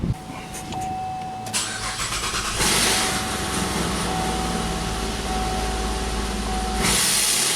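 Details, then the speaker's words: Engine with a plugged bank 1 exhaust, oxygen sensor removed so its port acts as an open exhaust: it cranks and catches, then a harsh, loud roar holds steady revs. It now revs higher and holds RPM, confirming back pressure. "It's going to be loud, but I should be able to rev it up, even though my bank 1 is plugged up."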